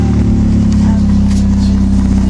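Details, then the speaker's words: Mitsubishi Eclipse engine after alternator bracket and door lock fixes: steady, even note at one speed with no knocks, ticks or misses, sounds good; normal running. "it definitely sounds good"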